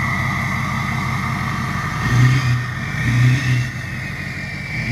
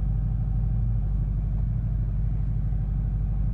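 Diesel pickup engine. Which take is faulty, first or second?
first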